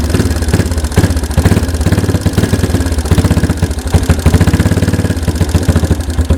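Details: 1992 Yamaha Big Bear ATV that sat a decade, same oil, running on choke after the replaced fuel mixture screw was adjusted (seated gently, one turn out, tweaked); quick, even single-cylinder thumping idle, steady with no stumbling.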